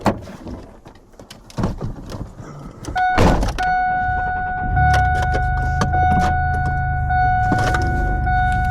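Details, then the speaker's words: Car at idle during road trip prep; steady mid-pitched whine identified as the power steering pump, which the owner thought earlier fixed but is noisy again; fears the pump may need replacing. "do you hear that right now that's my power steering pump that's another thing I want to get fixed I thought that I fixed it earlier but it's making sounds again"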